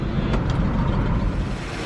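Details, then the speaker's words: Station wagon after ignition wiring rechecked: rough, lumpy idle with a stumbling low beat; still misfiring, codes point to cylinder four, check engine light flashes under load. "i mean now it's started still not running that great though still feel a misfire"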